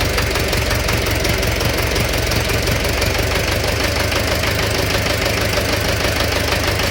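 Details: Steady, fast knocking at about three per second rides over the idle without letting up; engine knock, cause unknown.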